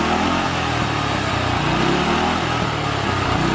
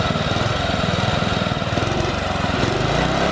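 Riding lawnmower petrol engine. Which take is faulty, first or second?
first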